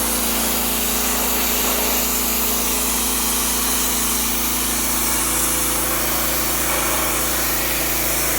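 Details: Generac OneWash pressure washer (bought 2015, Honda-clone single-cylinder engine) on heavy setting: constant strong hissing spray over a steady engine drone holding speed without surging; working fine under load.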